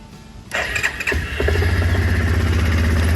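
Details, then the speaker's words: Yamaha Grizzly 350 ATV, sat four years, first start after carburetor and starter replacement with Seafoam added, choke on; brief cranking, then it catches at once into an even single-cylinder idle thumping about four times a second. "now let me go ahead and get my stuff off man this thing runs good"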